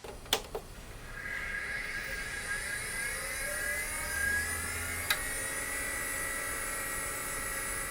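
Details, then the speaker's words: Drive spinning up in a rebuilt 1998 Pentium Pro and Voodoo 2 gaming PC with SCSI: a couple of clicks, then a faint whir rising to a steady high hum; normal spin-up. "do you hear that that my friends is what an enthusiast system from the 90s sounded like it was fully loaded so this thing's pretty loud"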